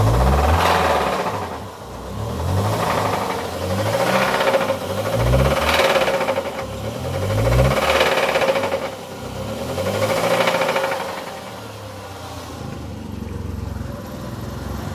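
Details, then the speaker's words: Ford Ka, about 2010, Zetec RoCam engine, starts normally but has an unusual engine knock: at idle a loud metallic rattle surges and fades every couple of seconds; worn timing chain, replaced. "ali não tá boa não hein deu para escutar aí bora desmontar ver o que que é"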